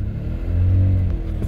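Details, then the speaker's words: MG ZT 190, after standing two years in a field, low on petrol: smooth steady low rumble with gentle rev, slight exhaust blow somewhere but no inlet manifold rattle; runs clean and even. "there's a bit of low in the exhaust somewhere but there's no Inlet manifold rattle that's lovely and smooth"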